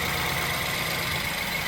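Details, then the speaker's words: BMW 320i E92 N43 engine after a full rebuild, idling smoothly with a steady tone and a light ticking from the high-pressure fuel pump, described as normal noises; engine running healthy. "There we go, gone to idle now. Those noises you can hear is that, and then the high pressure fuel pump that's just there. So they're normal noises, but yeah."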